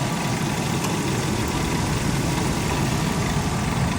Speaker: see how she sounds in here there's that alternator that thing does look pretty Sharp engine is smooth though